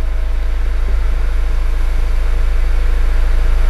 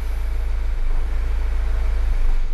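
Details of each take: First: Mazda CX-5 idling smoothly and evenly at about 200 pulses a minute with no misses or knocks. Its complaint is a fuel gauge reading empty and stalling, yet fuel pressure tracks desired with no trouble codes and about 8 litres in the tank; idle sounds normal. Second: Mazda CX-5 showing empty fuel gauge with fuel light on: the idle hunts, revs rising and dropping unevenly, then it stalls within 5–10 seconds. The MAF sensor was disconnected earlier, as Mazda MAF faults are known.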